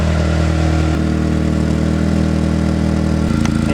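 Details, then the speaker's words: 1994–97 Honda Accord (California emission model) at idle, heard from the rear: rough puffing pulse about four times a second, louder on deceleration; exhaust leaking at the muffler bracket pipe, fixed by muffler replacement. "now I'm at the rear of the vehicle the exhaust noise the loudest they check the muffler"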